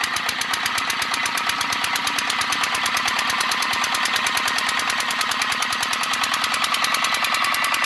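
Sharp, evenly spaced metallic tapping about eight times a second throughout, bright and light over little engine rumble; an engine knock of unknown cause.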